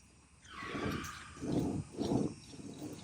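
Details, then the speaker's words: Toyota Tacoma front wheel hub before replacement with new Koyo hub assembly: low, rough grinding growl that rises and falls with each wheel turn. Worn hub bearing also had slight play. "shouldn't be grinding like that that noise shouldn't be there"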